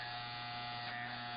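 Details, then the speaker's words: Andis T-Outliner trimmer with T1 blade, after loosening the blade adjustment for more clearance behind the hair guard: strong, constant high buzz with no dips, rubbing or stalling; now running properly with full power. "So now it's working great. It has a good sound. Your trimmer should have some vibration in your hand. That tells you that it has enough power."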